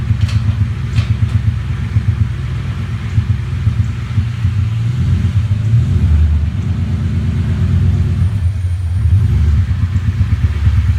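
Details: 1998 Ford Mustang GT V8 at idle with deep, uneven lumpy rhythm and occasional stumbles, a cylinder misfiring.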